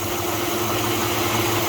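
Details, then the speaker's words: Chevy 5.3 V8 (2002-2014 Tahoe/GMC family) at idle after replacing the AC drive belt tensioner assembly and serpentine belt: smooth even rumble, no chirp or squeal; new tensioner no longer wobbly or bouncing, seems quieter. "And if you see it, it's not moving, like bouncing. It was kind of wobbly."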